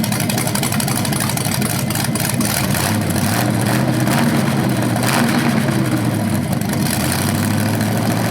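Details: BluePrint 396 crate engine for a 1970 Camaro SS, first run after oil priming and timing check: lumpy but steady idle, clean blips, no knocks or rattles; normal, though owner notes a slightly different rev sound, possibly flywheel or headers.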